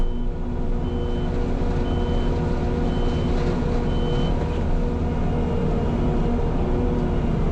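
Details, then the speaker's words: New mulcher working forward through dirt: high, even beeps roughly every 0.8 seconds over the heavy diesel rumble, not yet troubleshot; backup alarm sounding during forward travel. "And yes, I know you might be able to hear the the backup alarm. Uh, I just haven't uh, let's just say trouble shot that yet."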